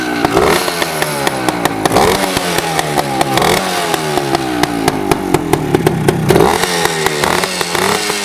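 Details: 1975 Suzuki TS250 two-stroke, freshly reassembled with new rings, piston found very clean at teardown. A crisp, fast crackle climbs cleanly with each throttle blip, with even firing and no knocks or misses, so the engine runs healthy.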